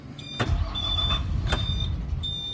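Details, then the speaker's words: 2003 Blue Bird All American 72-passenger school bus, 134,000 miles: low rumble as it cranks, catches for a moment then fades out without idling; wants to start then dies, cause unknown, starting fluid not tried. "see like it wants to start and then it just dies i've been trying that for a while"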